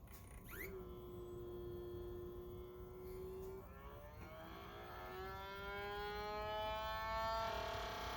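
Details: Optoma HD26 DLP projector at power-on: thin wavering whistle with stacked tones climbing in pitch, a squealing/chirping color wheel unable to regulate its speed; caused by heat-loosened foam curling into the wheel and its index mark.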